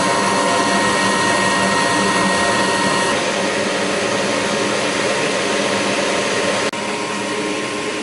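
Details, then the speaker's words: Goodman gas furnace after the exhaust (inducer) blower assembly was replaced: smooth, even whir at a steady pitch with no rattle, scrape or wobble; normal operation. "all right let's see what it sounds like now a lot better than me so"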